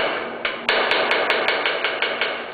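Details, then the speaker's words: Scroll saw cutting a board gives rapid wooden knocks, about five a second, over a steady motor hum; chatter from an incorrectly set pressure foot or too tight a curve. "you're cutting which we call chatter all right if you hear the chatter you know that you're pressure foot is setting correctly or you're cutting too tight of a curve in whatever case you should stop and fix the problem"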